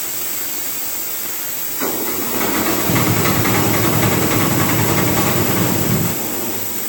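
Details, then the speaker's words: CompAir mobile air compressor diesel engine, fuel bled to injectors; it chugs along under a loud, rising hiss that swells for several seconds then eases, starting out okay then worsening. Overheating from coolant loss, suspected radiator problem. "is well that's the best yet starts out okay and then it goes to hell we seem to have a radiator problem too"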